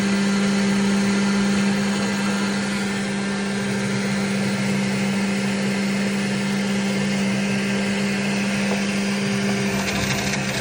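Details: Model cooling fan on a brand-new Centauri gives a steady high whirring drone with a fixed tone and a gritty rasp underneath at constant speed. The fan has a bad bearing.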